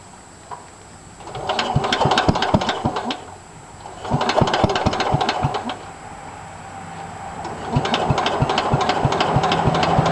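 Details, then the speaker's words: 1963 Cub Cadet original single-cylinder engine, cold start after fixing a grounded points wire on a non-running buy: sharp regular knock at idle about four per second; owner suspects bad head gasket, metal flakes in oil, needs rebuild or repower. "what watch there she is knocking in all her glory got a bad head gasket"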